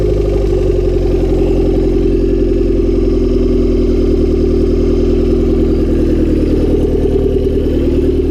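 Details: Honda Civic D16Y7 turbo (skunk2 inlet, Mishimoto intercooler, T3 top-mount manifold, Bosch 550cc injectors), cold start the day after spinning a rod bearing shell: steady idle with rapid regular metallic knock over the exhaust beat; no oil light, engine declared finished.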